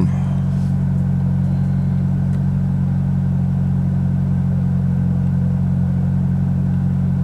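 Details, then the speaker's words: 2006 Toyota Corolla at idle on a 34°F day, after rear oxygen sensor replacement for P0037: a loud, deep, even unmuffled rumble with heavy low drone, because the muffler snapped off. "yeah you probably hear it's a little loud muffler decided to snap off last night so that's going to be your next video"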